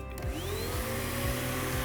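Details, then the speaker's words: Riccar Spirit vacuum cleaner with clog: motor spins up to a higher-than-usual pitched steady whine with a few low thumps, full-bag indicator light comes on signalling obstructed airflow path. "okay that's not normal that light coming on is not what's supposed to happen unless it's obstructed okay in this case this machine we have it is Clogg so the light comes on telling us it's clogged"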